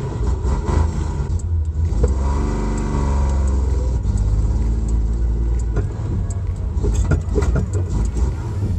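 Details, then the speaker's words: Datsun 240Z during restoration, before being towed in for a tune-up: idle hunts and stumbles with spits and uneven revs; engine sputters and runs rough, needs tune adjustment, cause not confirmed. "well you can hear why I'm taking her in to have her adjusted the tune she spits and sputters and"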